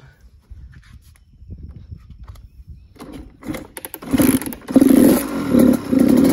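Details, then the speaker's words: Suzuki RM85 two-stroke just rebuilt (cases split, main bearing replaced, Hinson clutch fitted) surges on and off in uneven bursts, blipping and sagging, unable to hold a steady idle. Owner suspects the idle screw needs adjusting. "that doesn't want to idle for some reason I don't really care I'll fix it up later"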